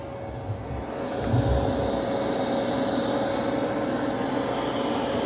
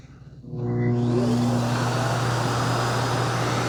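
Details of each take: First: Dreame X60 Max Ultra robot vacuum in vacuum-only mode (mop pads detached), Max Boost suction with chassis lift on carpet during a debris test: steady, loud whoosh with an even mid-pitch fan tone, a little noisy, no rattles or surges; normal running. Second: Dreame X60 Max Ultra robot vacuum docking for auto-empty after an extreme carpet test with long hair and debris. The suction motor spins to a fairly quiet roar with no bin-emptying thunk: weak auto-empty suction, with a clogged dustbin outlet.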